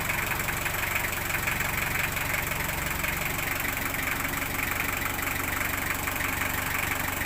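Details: Engine idling just after an oil change using 5 units of oil: steady, even idle with a light regular tick over a constant hum, settling smoothly after starting and running fine. Normal idle.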